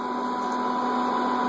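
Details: Whirlpool Gold GH9185XLQ-0 microwave, running empty and now warmed up: steady, harsh buzzing hum at an even pitch, noisier than usual. Owner suspects the magnetron leaking EMI into the control board.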